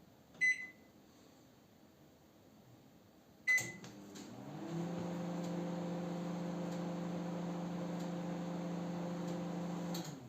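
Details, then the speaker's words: Panasonic NN-GD577M microwave tested with a glass of water: two beeps, then a steady low fan-and-turntable hum for about six seconds before it shuts off or shows an error; the water stays unheated, and the magnetron was found to have failed. "Так, ну вот видно, печь либо просто отключается, либо показывает ошибку."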